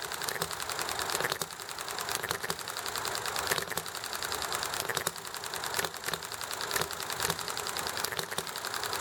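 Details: Enjomor model engine popping along: quick mechanical clatter with firing bursts every second or so, then coasting, over highway noise, alley traffic and neighbor chatter; normal hit-and-miss running.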